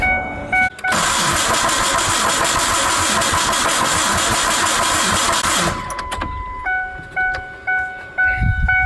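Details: 2001 Ford Ranger, rebuilt 4.0 engine, sat 2.5 years, no-start, neutral, clutch in: harsh, rough crank about two beats a second for five seconds, then stops with chimes; abnormal cranking noise, almost like rod knock, starter suspected; later fixed by repairing grounds.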